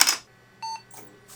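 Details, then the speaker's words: Asus Intel 440BX motherboard with Pentium III 450 and Matrox G400: one short clean POST beep, all memory detected; the board passes self-test and works. "Okay, Pentium 3 450, all the memories detected. Floppy disk failed as correct. Okay, nice. This motherboard is working."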